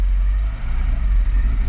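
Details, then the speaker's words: Peugeot 205 GL carburetted, half warm: choke pulled on gives a deep lumpy rumble with uneven dips in idle as it runs too rich; smooth and even with the choke off. "Ça gave, là ça gave là. Ça gave le carburateur là, les cylindres et tout, là il y a un robinet qui s'ouvre là, et ça va dedans là, c'est carrément le Karcher qui est allumé à fond dans les cylindres. Là tu sens que ça enrichit là, tu vois."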